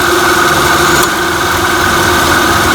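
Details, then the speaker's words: 2002 Toyota Camry idling after the A/C compressor clutch relay was swapped with the horn relay: the compressor clutch stays engaged, the A/C light stays on and cold air blows; steady, even idle with a smooth constant hum and no cycling or clicking. "long as this stays on should be good looks like it's staying on so ac light staying on there cold air coming out awesome"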